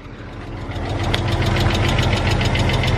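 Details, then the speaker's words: 1999 Porsche Boxster salvage-auction car that sat for years on five-year-old gas, just started and idling; quick light ticking about three times a second over steady idle, expected to fade as it runs; valve train ticking. "it sounds like the engine's gonna blow up any second it really doesn't sound good but I'm telling you guys if you remember the cheap red 99 Boxster series you would know that's the exact same sound"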